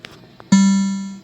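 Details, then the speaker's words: Mortal Kombat II arcade sound board, previously silent, after replacing bad caps, a bad ROM and U17 with a reprogrammed ROM: a single clean plucked note rings out and fades evenly, with no crackle, hum or distortion; board playing properly. "ah that sounds good so we can get rid of we can get rid of this here excellent"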